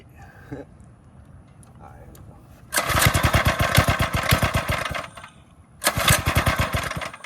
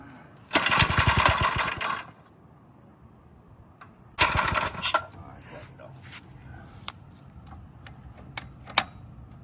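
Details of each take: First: Drift quad single-cylinder engine with newly installed Nibbi carb, after draining carb: catches and revs in crisp even bursts, drops and picks up cleanly; sounds healthy, white smoke at first. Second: Drift quad engine just fitted with a Nibbi carburetor, flooded: repeated short pull-start cranks with brief coughing catches that never settle into a run.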